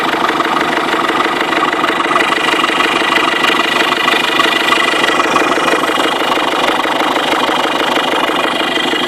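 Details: 2005 Ford Fiesta 1.6 TDCi diesel that started knocking yesterday at idle, knock speeding up with acceleration; idling with a steady, regular knock about three beats a second.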